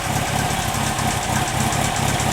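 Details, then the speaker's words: 1954 MG TF four-cylinder, warm idle after start on choke, 50 lb oil pressure: smooth, even exhaust pulse and steady beat, no ticking or knocking; engine sounds healthy. "now that it's warmed up it's running a little nice and smooth as you can see pretty happy okay"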